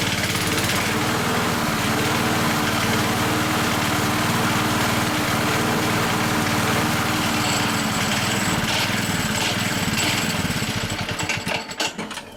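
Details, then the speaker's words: Hayter 479 high-hour mower, running with blade engaged: steady engine with regular light knock about four per second from worn blade brake disc; noise disappears when blade brake engaged. "So, you're wondering what the sound is it makes because of those worn parts."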